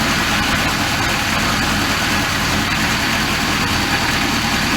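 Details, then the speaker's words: Volvo Penta 5.0 GXi-C in a 2003 Chaparral Sunesta 242 after installing MarineTorq stainless manifold-risers: steady even idle, smooth low rumble, no ticking or exhaust sucking; normal idle. "ran great it really did it sounds really good you want to listen for like ticking or exhaust sounds like a sucking"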